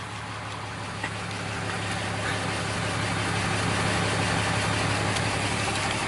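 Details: Steady, even diesel clatter at idle with a smooth rhythm and no misses or knocks on a 2012 Ram 2500 Cummins, started after a fuel filter change and priming; engine running healthy, next step is checking for leaks.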